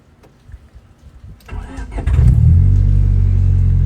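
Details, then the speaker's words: Honda Civic VTi D16Z6 all-motor build, Crower stage 3 cams, ported Skunk2 intake, after initial start-up and street tune: brief crank, quick catch, even idle holding about 1000 RPM, 950 with AC; healthy start. "oh yeah Powers these three striving up a bit yes it holds its own at 1000 RPM pretty good"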